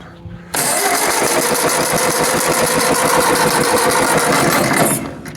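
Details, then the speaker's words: 1951 Ford 8N tractor with a 12-volt conversion, fuel on: the starter cranks in an even chug, about 3.5 beats a second, for five seconds without catching. Spark is on only 3 of 4 plugs, and the distributor is suspected. "it's turning, but that's about what I get out of"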